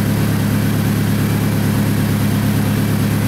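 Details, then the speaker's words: Toyota Camry idling in the shop after timing belt replacement, still smoking after a first start believed to have flooded it: loud, low-pitched idle with a slight puffing pulse in the exhaust note, from an exhaust leak. "I don't want to leave it running in the shop with my foot is smoking like this because of that exhaust leak"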